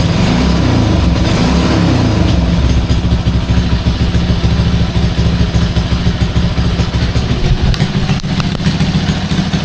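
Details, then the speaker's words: Restored Honda C200 motorcycle, fully rebuilt with new inline fuel filter: small engine ticks over steadily about three beats a second, a touch lumpy but even; healthy idle, though carb may still need tuning. "can leave a running long, she'll smoke me out. Yeah, very happy with that."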